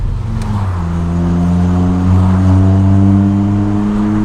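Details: 25-year-old Honda Prelude, accelerating: deep, smooth exhaust drone climbs steadily in pitch as the car pulls hard, even throughout, with no rattles or misfires.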